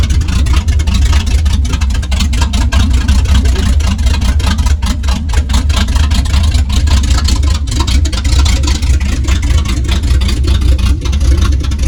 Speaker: Here comes a cold start. It's about 50 degrees. We're gonna see what she sounds like when she's getting warm.